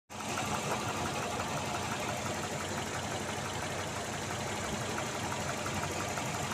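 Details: Engine at idle: sharp regular tapping riding on the idle, keeping pace with engine speed, a clear internal knock.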